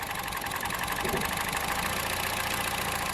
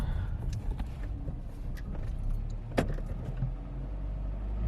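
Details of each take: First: Budget hybrid build with two ignition coils per cylinder, one side's coils unplugged at idle: the idle turns lumpy and uneven, stumbling irregularly; misfire from an unplugged ignition coil bank. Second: Budget hybrid with CVT after new spark plugs replaced burnt ones for misfire, revved in neutral after cruising at 35 mph: climbs and settles smoothly with no stumble or misfire, after some key rattle; normal rev.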